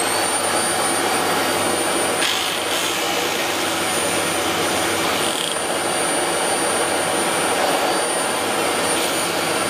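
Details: Dyson DC04 vacuum test run after motor replacement, checking that it turns properly. A steady, even roar with a constant high whistle on top, no surging or rattles. The motor runs healthy.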